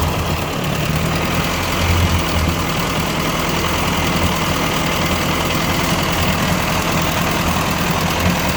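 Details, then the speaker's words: 1957 Ford 841 tractor after fitting a replacement Chinese carburetor: steady, even low rumble at constant speed with no misses or knocks; runs smoothly, tachometer not working. "it actually doesn't sound too bad i gotta get the tachometer fixed"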